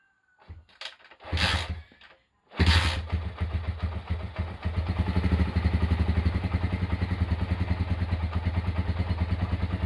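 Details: Honda GL100 single-cylinder engine, roughly 2000–2002, after full rebuild with Aspira piston and rings, CDI ignition, valve clearance 0.10; after a couple of blips settles into an even, steady, smooth idle with no knock or rattle.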